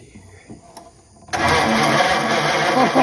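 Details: Original 1934 Ford coupe flathead, sitting 20+ years: starter engages and churns steadily with faint uneven catches; engine cranking and trying to fire, progress made.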